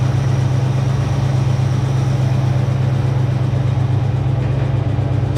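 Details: 1966 Ford Mustang 2+2 fastback with 82,000 miles, sitting for years, running after replacing a leaky fuel pump. A deep, steady, even V8 rumble with no misses or knocks: normal smooth idle.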